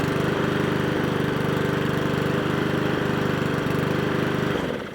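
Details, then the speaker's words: Mountfield HP41 lawnmower, warm after about five minutes of running and before a carburetor clean and service: small engine popping steadily with occasional skipped beats before cutting out. It has slight misses and a small hunt and surge issue. "it's got a few little tiny misses there. So, it has got a little tiny hunt and surge issue."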